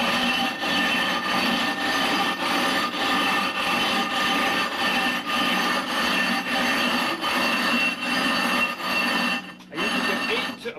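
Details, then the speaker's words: Hand rough grinding of a 20-inch telescope mirror blank with fresh number 10 abrasive, pressing down hard: gritty, harsh rasping strokes about one per second as fresh coarse grit bites the glass; normal rough grinding. "as I proceed you're going to hear the sound softened very quickly so you don't hear that harsh"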